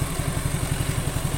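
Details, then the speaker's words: Suzuki Nex II scooter, warmed up about half an hour after replacing the left camshaft bearing that caused a rough noise: steady, even putter with no knocks, rattles or abnormal sounds; smooth normal idle, back to stock. "untuk mesin halus ini sudah saya Panaskan kurang lebih setengah jam suaranya stabil tidak ada [Tepuk tangan] suara-suara yang timbul abnormal intinya sudah kembali halus mesinnya seperti standar"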